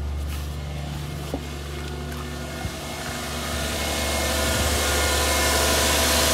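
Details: 1996 Toyota Cresta (JZX100) with crank/no-start condition, just after fuel pump replacement; fires and holds a steady, even idle with smooth low hum, no knocks or misses, lifting slightly near the end, apparently no leaks; running healthy.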